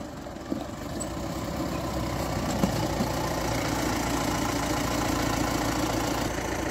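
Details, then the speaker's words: Mahindra Bolero pickup after brake pad replacement, on-road test: steady engine and road hum while braking, earlier brake noise gone, no squeal or grinding; brakes quiet. "Break कैसे लग रहे हैं? अब अच्छा लग रहा है। यह सही है, है ना? आवाज बंद हो गई है और ब्रेक भी ठीक लग रहे हैं।"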